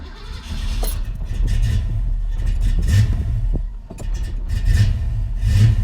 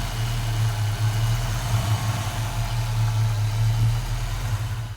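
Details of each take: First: 1991 Foxbody Mustang GT V8, first start after installing Holley Terminator X fuel injection, before resetting timing: low idle surging and dipping; idle not yet settled. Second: 1991 Foxbody Mustang GT V8 with newly installed Holley Terminator X fuel injection: steady even low rumble with no misses, knocks or ticks; smooth, settled normal idle.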